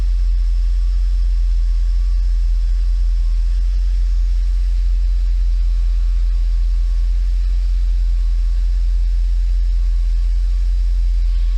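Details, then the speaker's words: Mercedes 500E W124 V8 at idle after a leaking fuel pump was swapped for another used pump, recorded at the exhaust tailpipe: deep, even rumble with no misfires, condensation water showing the catalytic converters work; normal idle. "okay now exhaust run smooth as you can hear no misfires"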